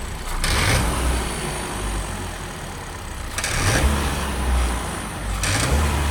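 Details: 2021 Kia Ceed 1.5 T-GDI four-cylinder turbo direct-injection engine revving up and settling in waves with a faint rough rattle whenever accelerating, heard well inside the cabin; dealer calls it normal, owner disputes; source not pinned down.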